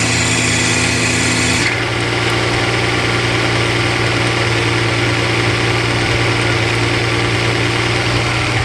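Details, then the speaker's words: Mercedes SL600 with repaired throttle bodies after wide open throttle: revs drop in about two seconds to a steady even idle as both throttles close by themselves; normal idle. "Slowly but surely they close down to get proper idle speed after wide open throttle. So that is the normal operation."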